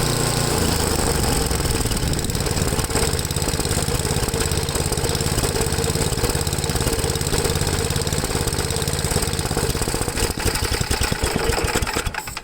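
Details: Ariens 8HP Tecumseh engine on new replacement carburetor after mixture adjustment: idle hunting up and down instead of an even beat; idle surging, cause unconfirmed (low idle mixture or high-speed jet suspected, possibly flooded), full throttle fine.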